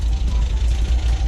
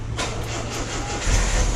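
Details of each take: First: 1974.5 MG MGB with HIF4 carburetors, after new floats and needles fixed flooding: low, even four-cylinder idle at about 750–800 rpm, previously about 1,000–1,100, with no misses or hunting, idling better than ever. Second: 1974.5 MG MGB with HIF4 carburetors after float replacement for flooding: low uneven idle loping and wavering; incorrect carburetor float height upsetting mixture.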